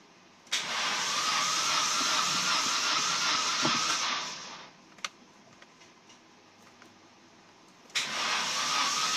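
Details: KA24E engine: two bursts of steady starter cranking, each several seconds long, with no firing between them; cranks but won't start.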